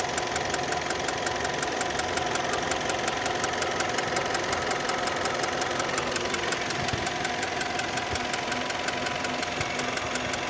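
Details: Kia Ceed engine, warm idle: a steady, sharp ticking knock at about three per second. Absent when cold and appears only when warm. Valves were adjusted and are within spec, so owner rules them out; source unknown.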